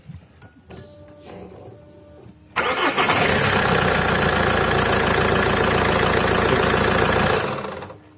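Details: Alfa Romeo 156 with a new dual mass flywheel: engine catches at once, settles into an even, steady idle with no shudder or knock, then shuts off cleanly; normal idle.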